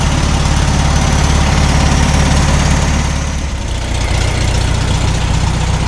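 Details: 1972 VW Super Beetle, air-cooled, first run after about 20 years in storage, after carb cleaning: low steady putter that dips slightly then settles into an even, healthy idle.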